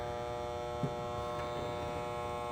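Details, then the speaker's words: HVAC outdoor unit with a domed 30/5 run capacitor that tested dead and a loud, chattering contactor: only a steady electrical hum, with no compressor or fan starting; replacing the capacitor got it running. "we have a slight Dome on this capacitor looks like it's a 30/5 so I'm going to check it too see how we're doing there see on the amp acd1 14 we are a dead duck"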